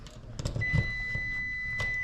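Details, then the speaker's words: Troubleshooting a home breaker that trips with spark and buzz on reset: meter continuity test gives a steady high beep between hot and neutral, showing the wires are touching somewhere — a hot-to-neutral short circuit. "so when i put it in especially with the with the hot and the neutral that means the wires are touching somewhere they're not supposed to be touching"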